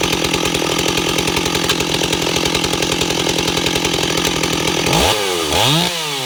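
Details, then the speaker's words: Ported Stihl 028 Wood Boss; crisp steady idle around 2400–2600 rpm with even firing, no hunting or stumble, then clean blips: normal idle. "You can clearly hear it's at idle. It's around 2600 RPM, 24 to 26, back and forth."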